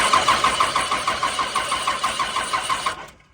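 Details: First-gen Cummins 5.9 12-valve diesel, injector lines 2, 3 and 4 cracked to bleed suspected air in fuel system: starter churns about three compressions a second, never catches; cranks but won't start.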